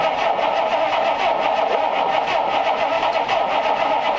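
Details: 1932 Ford Schroll Coupe with an Olds engine on its stock distributor, first start attempt since purchase, fuel squirted into the carbs. Steady starter churning at about four even pulses a second, with no catch; it cranks but won't fire.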